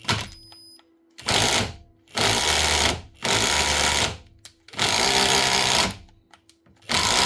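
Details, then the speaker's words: Metabo SSD 18 LTX 200 BL 18V impact driver clamped in a vise: harsh hammering bursts with each trigger pull, impacting with no load. A gearbox problem and a failed top needle bearing are suspected; it was well rusted and stiff, and later would not run. "Right, I think there's a problem inside the gearbox. When we first switched it on, she was impacting with no load."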